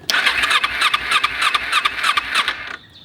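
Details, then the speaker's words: Motorbike stored about 4 years with a full fuel tank, fuel leaking from a hose aimed at the battery: rapid uneven cranking chuffs on choke, engine catches briefly then dies away; reluctant to fire, hard starting. "So one thing that's happening is that when you crank it, turn on the choke, and you can see it wants to start."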